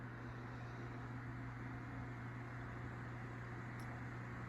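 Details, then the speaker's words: Edison Deluxe 9-inch oscillating fan 094002 on low speed after cleaning and oiling its totally dry bearings: steady low hum, constant low-pitched tone, no rubbing or ticking; motor smooth and healthy. "so we'll turn it on low speed i have cleaned and oiled the fan already it needed it that's for sure the bearings were totally dry"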